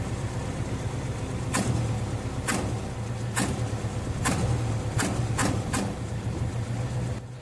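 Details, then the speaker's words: Owner-type jeep after replacing the leaking gasket between the intake and exhaust manifolds and clearing a clogged carburetor; previously hiccuped and sounded like a holed exhaust when the throttle was snapped, now a steady drone rising smoothly on blips, running healthy. "Before mga boss, pag binibigla kong i-rep itong karburator, sinisinok yan. Pero kung mapapansin niyo ngayon, 'di ba, okay na okay na siya."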